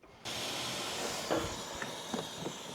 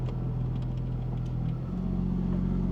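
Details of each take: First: Porsche 996 Turbo, 23 years old, 150,000 miles, intake pressurised in a pressure test: loud steady air hiss with some knocks on top of the engine; boost leak from loose throttle-body intake clamps and a split vacuum hose. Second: 23-year-old Porsche 996 Turbo, 150,000 miles, warm idle after repair: when AC switches off idle steps up briefly then settles cleanly, no hunting or stumble; previously idle worsened with AC off, now fixed.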